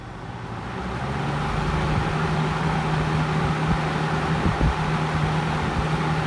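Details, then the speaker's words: 1960s Penncrest (Lakewood) 14-inch box fan on stand, GE motor, in good shape, running on high: steady rushing air with a low, even motor hum, no rattles or knocks; normal operation. "Let's just go ahead and turn it on, shall we? Here comes some wind noise."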